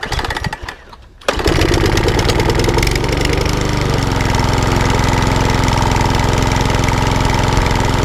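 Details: Lawnmower that hunted and surged from bad fuel, after a carb clean and tightening a very loose spark plug: starts on the pull and settles within seconds to a steady, even beat with no hunting or surging.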